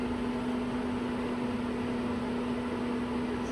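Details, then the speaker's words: RV furnace after replacing a bad propane regulator, furnace didn't fire first try and is off: the blower fan keeps running with a steady, even rush and low hum, no knocks or rattles; normal blower run. "It's turned off right now, but the fan's still going."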